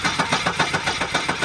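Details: 1984 Volvo 242 with B23 LH2.1 engine and automatic, just fitted with a new distributor cap, rotor and plug wires: steady starter cranking at about six turns a second with no catch. It cranks but won't start.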